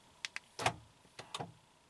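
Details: 2012 Honda Accord front driver door lock actuator/latch assembly after replacement; two crisp lock clicks then short clean clunks as lock cycles, no buzzing or grinding, healthy quiet actuator.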